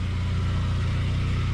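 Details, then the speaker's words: 2002 Saab 9-3 convertible, owner worried over oil light at extreme heat: smooth, low, even idle with steady pulse, no ticking or knocking; sounds normal. "of course we're doing the inside that's what the engine sounds like"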